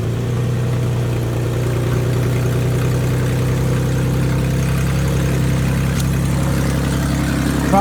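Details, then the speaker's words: 2005 Mustang 4.0 that wouldn't start, upstream O2 sensors pulled before both cats: it now fires and runs with a loud, raspy idle puffing from the open sensor ports, showing the engine can breathe. Catalytic converters plugged. "so that was the issue my cats are plugged up and now the car can breathe when I pulled those oxygen sensors"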